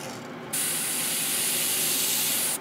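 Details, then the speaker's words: New Gaahleri GHAD-39 Advance airbrush, paint now flowing: steady even hiss of air and paint, no crackle or sputter, clean cutoff; smooth controllable spray. "oh yeah that's more controllable oh yeah when you don't hear the actual crackling and ging like that now you have control much better"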